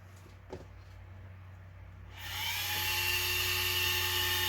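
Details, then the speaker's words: New Surpass Hobby ESC cooling fan just installed in an Arrma Senton 4x4 RC truck, replacing a broken one; the fan spins up after two seconds to a steady, high, clean whine with no rattle, blowing good air: normal fan whine. "like a charm got some nice blow through there perect then I"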